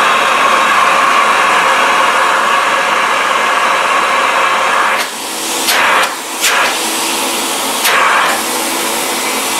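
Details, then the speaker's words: Old Philips vacuum cleaner with clean first-layer filter: steady high airy motor roar with even whine, then switched off and spinning down smoothly with no rattles or scraping; normal run and wind-down. "listen to that wind down sound. It is silky, silky smooth, and I hope that the oncoming Electro Helios sounds like it should sound, because I have seen those videos about it."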